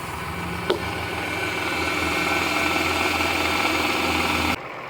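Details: Toyota Sienna 3.3 L with a recently partially rebuilt engine, after power steering pump replacement: smooth, even idle with a light hiss and no squeal or screech from the pump area, so the noise is fixed.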